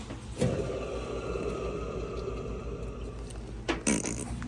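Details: Maytag Bravos XL washer MVWB835DW3, codes F0E4/F3E2 pointing to water valve thermistor: low quiet steady drive motor hum with a couple of tub clunks during cycle; motor running smooth and normal.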